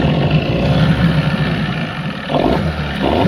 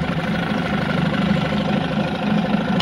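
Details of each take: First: Evinrude 15 two-stroke outboard, short shaft, tiller, manual shift, on test tank: uneven idle that sags and dies after a second despite choke and throttle; suspected carburetor issue, idle adjustment being tuned. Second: 15 hp Evinrude two-stroke outboard, short shaft, tiller, manual shift, pull start, idling in forward on a test tank after a carburetor cleaning for a no-idle complaint: steady, even, smooth low burble with no misses or surging; now idles normally.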